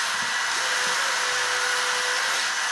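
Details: DeWALT DCF887 20V Max impact driver after hard testing, both units over 200 degrees; steady high-pitched whine with no knocking, hot, strained motor spinning freely.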